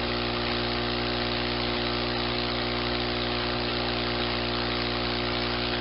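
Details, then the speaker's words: Personal cushion lift pump sucking the remaining air out of the cushion to flatten it: constant steady hum with no surging, running normally before the note changes once the cushion is empty. "so with the pump you continue you continue sucking the air out of the cushion until it's back to a flat position again"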